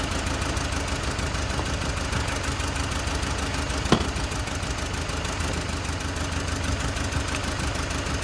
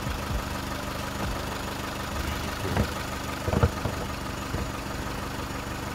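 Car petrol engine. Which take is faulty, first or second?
first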